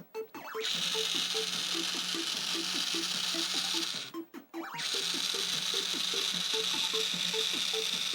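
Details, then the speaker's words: Nintendo R.O.B. robot during gameplay, after its slipping clutch was cleaned, lightly sanded and degreased: two even bursts of high motor whir with light regular gear ticking and a short pause; mechanism moves smoothly. "apart the clutch that was the issue, and completely cleaned it, very lightly sanded the surfaces, lots of isopropyl alcohol to get this lube off, and, spoiler, he works great now."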